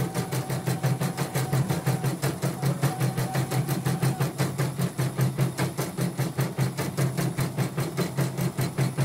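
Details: Portable embroidery machine (came in blank screen, dead touchscreen, hoop not positioning, unable to embroider) test-stitching with cover still open after mainboard replacement: fast even stitching clatter, no knocking, grinding or skipping; result judged OK; normal stitching operation.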